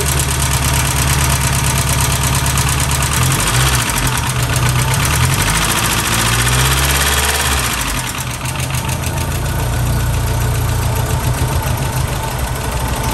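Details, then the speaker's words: 1991 VW Mk1 Cabriolet Etienne Aigner edition, second start after long dormancy, outdoors: rapid, even clacking at three to four per second over rough idle; dry hydraulic lifters clacking badly before full oil pressure, hopefully clearing. "all right fire up number two um lifters were clacking really bad"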